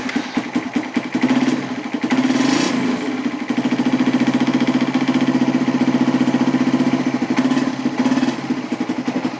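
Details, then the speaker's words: Suzuki Satria/Raider FI motorcycle after fitting a hidden anti-theft switch wired to the green pulser wire, switch still off: steady mid-pitched idle with a quick, even pulse and no stumbling or knocking; running healthily. "Di sini posisi saklar masih off, belum berfungsi. Oke, kita nyalakan."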